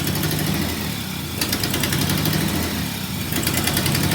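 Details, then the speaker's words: Jeep on day three of repairs, after plugs, wires and front end were reassembled: rough lumpy idle with uneven thump, heavy shake and knocking; one cylinder dead with no spark, owner suspects the coil pack. "oh yeah no it's it's still knocking pretty hard uh ruled it to this cylinder mostly because I got no spark out of it"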